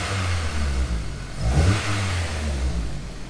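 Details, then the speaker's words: Honda S2000 after cylinder head work, freshly restarted with manifold residue burning off: engine blips up cleanly and settles smoothly, no stumble or hesitation; healthy throttle response. "no stumble it sounds nice it's"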